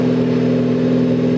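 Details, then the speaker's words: 2016 Ford Focus ST with newly installed Ford Performance (Mountune) cat-back exhaust, engine warm, idling; deep steady even drone, no rattle, ticking or leak puff. Normal exhaust note. "But it sounds amazing. I mean, just sitting here, so the engine's kind of warm."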